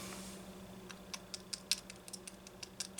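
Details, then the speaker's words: Homelite XL chainsaw, likely mid-1990s, oil-pump-mounted carburetor, engine not running: dry, irregular crunchy crackling as the old fuel hose is flexed; hardened hose is why the saw wouldn't run, needs replacing. "hear how crunchy that is been through that before if it makes that noise ain't no good no good at all"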